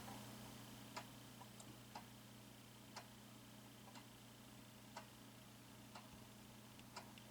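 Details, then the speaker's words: Early-2000s Quazar wall clock with quartz movement, rehung on the wall: crisp single clicks about once per second over faint background hum; movement running normally. "Do you hear the clicking from the Quazar movement?"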